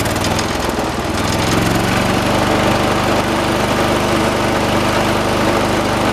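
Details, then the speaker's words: 1986 John Deere 216 lawn tractor, 16 hp single-cylinder Kohler, carburetor mixture being set: steady chugging with heavy shake and uneven beat; shaking considered normal for these engines; rough running. "let me go on ahead we'll start up the engine these 16 horse colors do shake a lot that's why it's normal"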